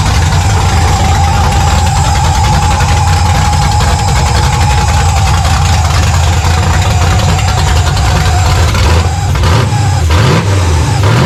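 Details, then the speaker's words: 1970 Monte Carlo V8, run on long-tube open headers, running very rich with the O2 sensor in free air and vacuum leaks present: loud, even idle with a steady beat, revs dipping and picking up near the end. Sounds healthy; the belt is walking. "uh right now just to, you know, crank it, listen to it run, make sure that the engine sounds healthy, which I think it does"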